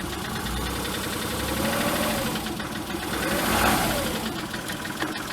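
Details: Volkswagen Polo 1.2 non-runner after new sump, gasket and tensioner, fresh oil, warming up on jack stands: steady run rises into a short rev with a rough knocking rattle; engine knock, cause not yet known.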